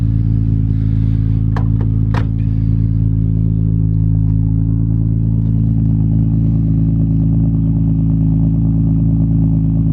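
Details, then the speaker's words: Imported Nissan GT-R with RB26 straight-six engine, first running again in a while: deep, steady rumble with an even, unbroken beat and no knocks or ticks; healthy normal idle. "Good to hear that RB26 rumble again. It has been a while."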